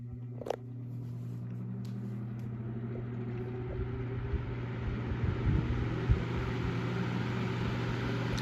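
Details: Antique Emerson desk fan (model 2650-B or 2260-H), small motor, bearings oiled, started from zero to high: smooth, steady low motor hum and even whir, no ticking, rubbing or scraping; healthy.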